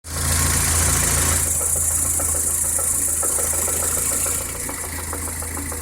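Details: VAZ 2108 at idle: a steady, regular knock about four per second over the engine, suspected crankshaft knock, likely a worn crank bearing, not confirmed.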